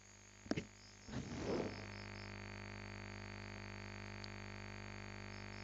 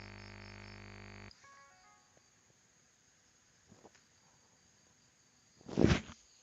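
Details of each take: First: now I'll take out the power cable no noise quite interesting and now I take the power cable back in and the noise comes back Second: USB microphone on a laptop: buzzy electrical hum, caused by the laptop's ungrounded charger cable, stops abruptly when the power cable is unplugged, leaving a quiet clean background without ground-loop hum.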